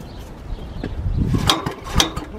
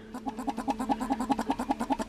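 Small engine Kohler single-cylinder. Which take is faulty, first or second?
first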